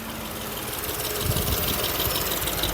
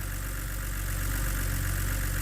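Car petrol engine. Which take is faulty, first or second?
first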